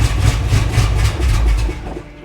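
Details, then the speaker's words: 1977 Chevy Monte Carlo V8, off the road about 30 years, warm enough not to need full choke: low firing pulses slow and fade within two seconds; starts then stalls, owner suspects it's not getting enough fuel. "It should keep running. I don't know what the deal is. Not getting the fuel it should."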